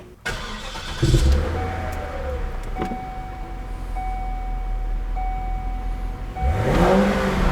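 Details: Cadillac XLR Northstar V8, newly reinstalled after head bolt repair, with stock mufflers modified by cutting out chambers and removing stuffing. It cranks and catches quickly, settles into a deep, even, throaty idle, then gives a clean rev blip; healthy.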